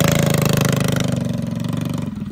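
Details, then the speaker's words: Freshly built Predator 212cc single with stage 5 head, 310 cam and billet parts, just started for the first time on a freezing night, awaiting break-in; fast, even popping beat settles into a steady idle and slowly quietens, no knocks or misses; normal idle. "It sounds so good. Oh my goodness, this thing sounds insane."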